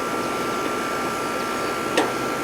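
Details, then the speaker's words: Older R22 AC condenser outdoor unit with a 5-minute compressor delay, after service for a condenser fan not spinning: even steady whir with constant hum, no rattles or squeals, warm air discharging; running normally. "So we're getting some heat out of this thing. Yeah, she's been cooling okay, right? Yes. Yeah, it seems to be alright."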